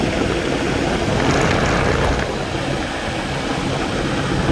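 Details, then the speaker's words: 2004 Lexus GX 470 at inspection in 0-degree snow, just started: steady idle with a rough dragging hiss and whirr in the belt drive, no clear squeal; inspector suspects a dragging pulley, worn belt or bearings, unconfirmed. "Alright, as soon as it started up, I heard a noise like one of the pulleys is dragging, or it needs a new belt, or the bearings or the belt"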